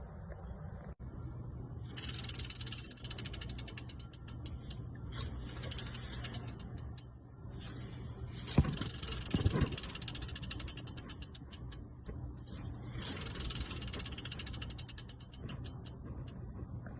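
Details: 2012 Freightliner M2 106 diesel truck, engine belt removed: a belt pulley spun by hand gives a rough, ratcheting grind, its bearing breaking up inside, so the pulley needs replacing rather than the belt.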